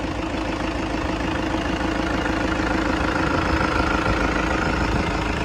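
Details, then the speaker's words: 2012 Toyota Kijang Innova G diesel, manual, first owner, engine bay open, idling with AC on: even steady diesel clatter, no misses, knocks or odd ticks; valves and combustion judged normal, turbo and common rail still factory-sealed. "Oke ya, mesinnya nyala, suaranya merdu, tidak ada yang fals dieselnya, artinya katupnya normal semua, pembakarannya normal."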